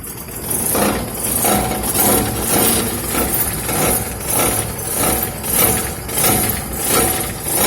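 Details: Car that struck something on a dirt road: rhythmic metallic buzzing and vibration under the car, swelling with each rev, from a dented engine skid plate pressed against the sump; fixed by bending it back with a wheel wrench.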